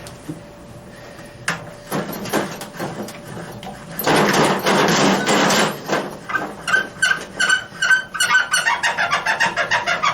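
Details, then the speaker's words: 1956 VW Beetle rear suspension with Porsche 944 rear suspension upgrades, cycled after dropping off the jack. Repeated creaks and squeals rise in pitch as it moves under load; dry rubber bushings need lube. "You can hear them bushings. Obviously the bushings need some lube."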